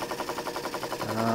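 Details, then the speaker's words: Used Jensen 20G steam engine after repair; its bumping noise came from a loose rubber or silicone piece inside the cylinder, replaced with properly made seals: light, even chuffing about nine beats a second settling into a steady hum, no knocking; normal running. "It is working fine now. No more terrible noise. So that was the cause."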